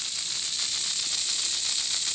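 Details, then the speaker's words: Lima Express Parcels van model railcar drive with a 3D-printed replacement gear, 9-volt battery on the rear contacts: high hissy motor whir with faint pulsing scrape at constant speed; new gear possibly rubbing lightly on the back of the wheel. "rubbing just a bit on the back of the wheel so maybe that wheel just needs to be eased out just a tad"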